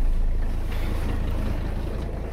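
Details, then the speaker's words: Abandoned 1985 Mercedes 300CD diesel started cold after a shot of ether, with biocide-treated fuel, the fuel system primed and the strainer cleaned: a low, even clatter, needing only a touch of accelerator, running on all cylinders right away. "just needed a touch of accelerator that was it and once again she's running on all cylinders right out the gate"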